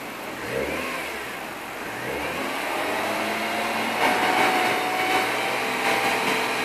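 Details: BMW E36 M3 Evo 3.2 idling unevenly, revs slowly rising and falling instead of holding steady; rough, hunting tickover, cause not stated.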